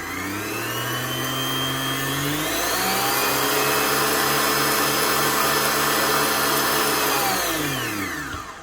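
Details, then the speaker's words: Kenwood Titanium Chef XL mixer after repair for the E29 fault (worn brushes, internal oil leak cleaned out, regreased): the motor winds up to an even, steady whir with no more spluttering, then spins down cleanly. Slight noise while the new grease works in; normal running. "Now, does that not sound a lot better? No more spluttering coming from the motor. A little bit of noise from here as that grease gets worked around. That sounds a lot better."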